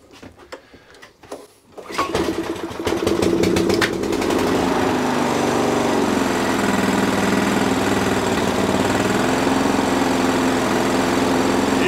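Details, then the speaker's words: Small Sovereign lawnmower engine after a simple fix; pull start, then a steady, even run at fairly modest revs with no hunting or surging, running fine. "yeah happy with that um that'll do but they don't they don't rev a massive amount these are only little tiny little tiny engines on the here"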